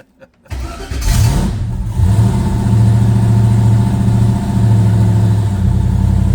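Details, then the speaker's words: 1968 Chevrolet Chevelle twin-turbo V8 build, untuned: cranks and catches after a second, then runs lumpy and uneven, held up with throttle; hard start and rough running, needs a tune. "Yeah, I got to help it a little bit with my foot. It needs tune."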